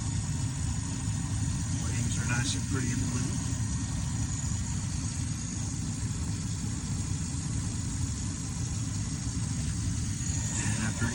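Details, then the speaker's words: 23-year-old Carrier gas furnace, after the burner ribbon found pushed about half an inch off the igniter was bent back so gas reaches it: steady low rumble of burners and blower, no clicking, rattling or surging; healthy. "so we should have clean ignition we should have enough fuel hitting that ignited to actually ignite"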